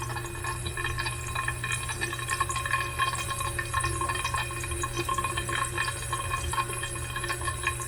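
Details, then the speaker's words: Pipe with valve locked off tight: continuous hiss and trickle of running water with faint drips in a quiet room, as if water still passes the closed valve; cause unknown. "It's all tight, tight. But when you lock it off tight, it makes noise. Where's the water going? Why it is making noise?"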